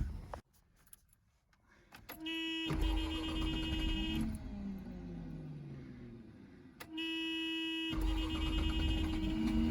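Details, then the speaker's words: 1984 Mazda RX-7 GS 12A rotary on a cold morning, first start attempt with a new battery and fresh gas plus starter fluid. The starter whines through two long cranking spells; it almost catches but never runs. Owner considers a compression check and plugs. "Got to figure this one out. Oh, couldn't get her to start."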